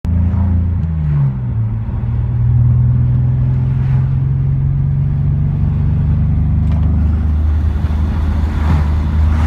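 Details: BMW 330ci petrol engine idles unevenly, hum sagging as if about to stall, no power and bogging on acceleration; starts running this way after about 10 minutes; MAF and idle air valve cleaned without help; cause unknown.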